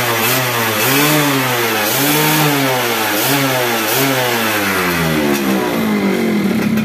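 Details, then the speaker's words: Yamaha F1ZR two-stroke motorcycle after fitting an original Yamaha CDI to cure stuttering and kick-start kickback: it revs up and down repeatedly, climbing smoothly with no stutter or misfire. "gas itu terakhirnya nggak Brebes ya nggak kayak begem nggak kayak terbatas gitu ya ini Los"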